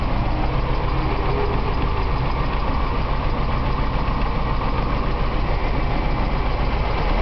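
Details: BMW 318is M42 engine after Seafoam treatment: steady idle with uneven lumpy stumble about three to four times a second, a misfire at idle; owner suspects it is running lean, unconfirmed.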